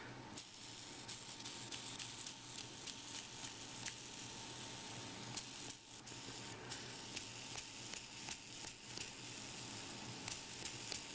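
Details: Yo-yo bearing with a cracked ball, flooded with thick lubricant to fill the crack: fast steady spin with dry hiss and scattered sharp ticks as the ball rolls through; smoothing out as it wears in, essentially repaired.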